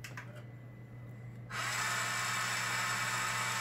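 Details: Xbox 360 with a disc stuck inside, eject pressed: a low fan hum, then a sudden loud, harsh grinding as the disc tray grinds and will not open; the drive also scratches discs.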